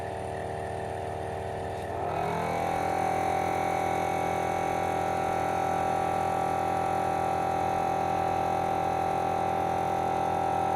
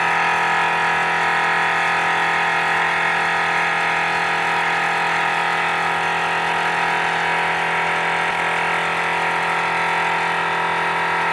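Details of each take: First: Forward FW 361+ hot plate separation machine vacuum pump after repair for loud noise (about 100 dB before): spins up after a brief rough start, then steady even hum, no knocking; suction changes level about 6–8 dB; normal pump running. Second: Forward FW 361+ hot plate separation machine: loud steady buzzing drone with piercing high whine, roughly 100 decibels, before disassembly and repair; loud pump noise.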